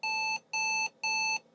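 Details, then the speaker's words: Pentium PC with a mini speaker glued to the motherboard and a soldered-on CF-to-IDE adapter, previously working: at power-on the fan spins, then three long identical high-pitched beeps about half a second apart; a POST error of unknown cause. "Wow, this thing is suddenly very unhappy. Why, I wonder? Huh, that's odd. Last I used this thing, it worked."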